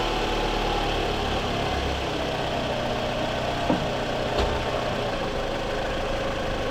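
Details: 2014 Scion xB, 102,000 miles, just after replacing coil packs and spark plugs: starts right up into a steady, even petrol idle with no stumble or miss, smooth and settled; engine still cold.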